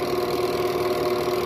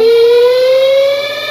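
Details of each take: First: Two-tub washing machine spin cycle after repair and reassembly: smooth, even spin with steady motor hum and no squeal or scraping; the earlier spin squeal is gone; replacing the worn part is best, lubricant only a temporary fix. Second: Twin-tub washing machine, spin cycle started by timer: loud piercing squeal from the bottom, rising in pitch as the spin drum speeds up; dry, worn seal between shaft and spin tub centre seal.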